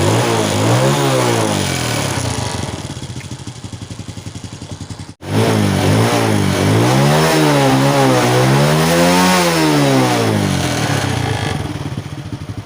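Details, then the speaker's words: Honda Wave 100 after carburetor cleaning and replacing the clogged fuel filter (fuel flowed poorly, causing hard starting, poor acceleration, stalling) and air filter: small single revs cleanly up and down with no stumbling or cutting out; running normally. "ก็น้ำมันก็รายได้ปกตินะครับตอนนี้ก็ถือว่าโอเคนะครับ"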